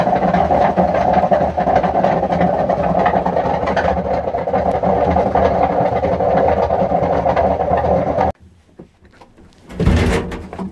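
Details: Hotpoint washing machine on spin: loud steady rumbling roar with a rough grinding edge, then it cuts out; drum bearings completely failed.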